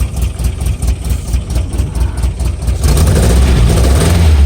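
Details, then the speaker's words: Vehicle started with fuel pump switch and a little gas: brief crank, then catches into a steady, even low idle with no knocks or stumbles; running healthy. "can hear it, we're running."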